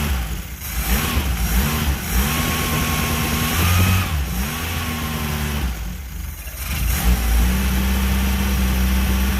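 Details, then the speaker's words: Engine surges and hunts, revs rising and sagging, and needs throttle to keep running, possibly because the choke is stuck on. "there we go running better this time actually doing all right just running oh that makes me feel good ohoh oh think the choke is stuck on"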